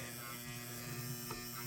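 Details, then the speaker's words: Lock relay in a 1971 Williams Klondike pinball machine, long stored in a cold garage, buzzing loudly with a low hum when energized via the left flipper button at startup; not shorted, it seems old and worn out. "very noisy old lock relay doesn't seem to be shorted or anything it just seems to be old and worn out"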